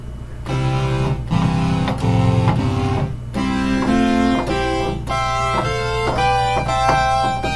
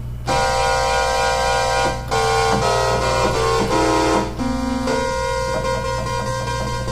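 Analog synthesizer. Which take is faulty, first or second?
second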